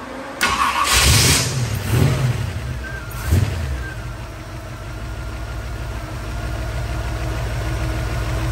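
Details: 1947 Hudson pickup, 350 small-block Chevy, TH350, after sitting about three years: cranking bursts, then catches with a few revs and settles into a steady, even idle; normal start and idle.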